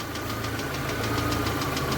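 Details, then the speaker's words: VAZ 2112 warming up at idle with faulty ignition module (resistance measured below spec): steady thrum with recurring uneven puffs and stumbles, spark dropping out and misfiring, worsening as engine reaches operating temperature. "сечас уже начинает подтраивать подтраивать он начинает не как ранее По чуть-чуть По чуть-чуть А уже слышно как пропадает Искра и идут перебои"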